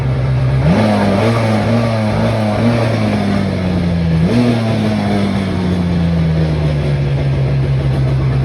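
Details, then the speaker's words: Sea-Doo 787 two-stroke jet ski with stock Mikuni carbs, after carburetor and jet cleaning and overnight cylinder soak, with water on: clean steady note climbing crisply on throttle blips and settling evenly; running healthy again. "got our water on let's see if she cranks i think we're back in business"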